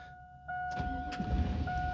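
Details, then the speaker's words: Chevy GMT800 Vortec V8 truck, first crank of the Passlock VATS security relearn: a chime, then the starter briefly grinds and the engine never catches; the security lockout blocks the start. "and it fails. Leave it in the on position. Security light should come on."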